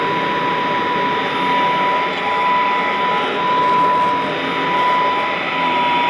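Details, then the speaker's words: Vintage all-metal Royal Model 153 vacuum, owned 22 years, 3-amp bushing-style motor; even, steady quiet whir with clean constant tone and gentle swells in level; normal running. "Wow, what a smooth running, very quiet. I mean, it's the kind of sound that might help you sleep. I mean, it's that kind of a sound."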